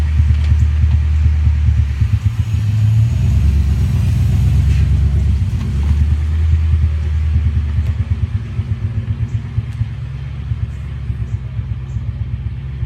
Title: 1998 Mustang GT misfiring